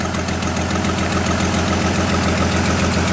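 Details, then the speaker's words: GM Trailblazer with a stall, no-crank, no-start problem, running with a scope and amp clamp on: uneven, lumpy idle with a steady stumble through the low drone; misfire from a missing ignition coil. "we're definitely missing a an ignition coil but it runs that blonde with you"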